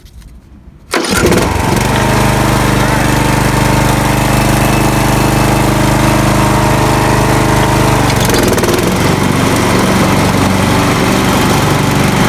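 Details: Swisher 60-inch trail mower, started via a jumped-over switch: the engine catches at once into a steady drone, then the tone shifts as the lever engages the blades through the pulley. The belts are possibly worn, but it runs smooth and healthy.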